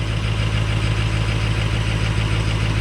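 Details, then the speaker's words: Diesel truck just started on four bad glow plugs, with something not right after earlier injector bore testing: deep, uneven, lumpy idle clatter. Rough idle, still drivable. "There's actually 4 glow plugs messed up. So I got something that in our diag video of testing injector bores, something didn't go back together happy, and I just haven't messed with it."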